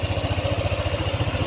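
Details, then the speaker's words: Yamaha NMAX 155 after repair of a knocking noise, camera held close to the engine: even, smooth idle pulse with no knock or clatter; normal. "oke suaranya kembali normal adem seperti sediakala"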